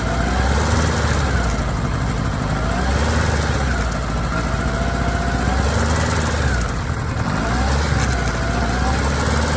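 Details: Kawasaki ZR-7S engine idling low with a rough, uneven rattle and a faint swelling whir; abnormal drive chain noise, cause not yet determined.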